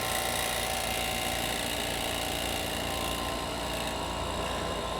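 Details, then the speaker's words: Vacmaster VP215 chamber vacuum sealer with an oil pump and no exhaust buffer, running normally. A steady, even drone with a high hiss, no knocks or surging. It is slightly louder than the Vac110 but quieter than an oilless pump would be. "now that's like i said does not have an exhaust buffer on it so it is a little bit louder than the vac 110 not super loud compared to uh if it was compared to a oilless pump that would be a lot louder but the oil pumps are usually pretty quiet this one does have a little bit more noise to it"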